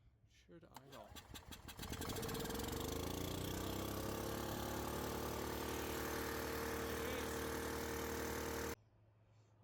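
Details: Gas Club Car golf cart in maintenance mode with shifter white wire disconnected: brief crank, catches within two seconds, smooth steady run with even tone until shut off; normal running.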